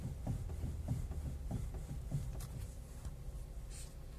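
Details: Kia Ceed facelift steering rack: dull, low, uneven thuds about one or two a second in a quiet car; knocking from the steering rack suspected.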